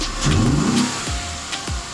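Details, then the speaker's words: 2006 Audi A6 3.2 quattro V6 petrol after replacing fuel pressure regulator (had misfires, hard start, no acceleration, codes): revs smoothly and settles to an even beat, accelerating well with no misfire; engine still cool. "she accelerating good no misfiring the engine is running good"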